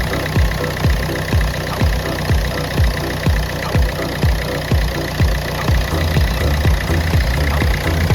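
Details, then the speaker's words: Ford Fusion 1.4 diesel, a former non-starter, fired up once fuel reached the pipes (with air bubbles) and a battery was fitted: steady, even diesel clatter at idle with no misses; running healthy. "Fire it up to life, guys. Done the trick, mate."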